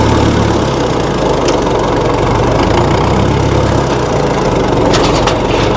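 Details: 1960 Massey Ferguson FE35 4-cylinder diesel tractor, after sitting long in a paddock: loud, steady clatter with a low even beat, no misses or surges; idling evenly.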